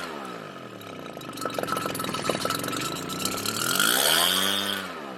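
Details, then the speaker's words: Redmax EBZ7500 backpack leaf blower two-stroke, cold start, before fitting an aftermarket carburetor; sea foam and cleaning did not fix it: revs hunt up and down, surge high, then sag toward dying; fuelling trouble suspected, not confirmed. "here we go runs dies surges and starts"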